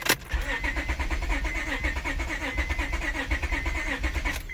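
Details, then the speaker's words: J32A3 swapped 7th-gen Honda Accord, first start in neutral after replacing lower intake runner gasket: cranks and catches into uneven, lumpy idle with irregular pulses before settling; owner suspects fuel system empty for days after disconnection. "the first rough start that you guys seen uh when when i first turned the car on i believe that was just related to the fact that there hasn't been fuel in the system for a couple days since i disconnected everything"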